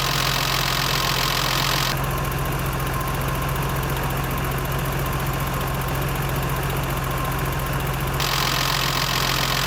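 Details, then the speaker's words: BMW 325i E30 with M20 engine, around a first-time valve clearance adjustment: busy idle with a loud, fast clatter of about three clacks a second; the owner feels the valvetrain is still fairly noisy. "bon j'ai l'impression que ça fait pas mal de bruit quand même"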